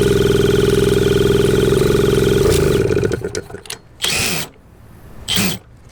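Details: 1981 Suzuki TS250 two-stroke, long parked, B8S plug, started with a drill: engine screams at a high steady rev it shouldn't hold, then chokes off with sputters; runaway revving, cause unknown.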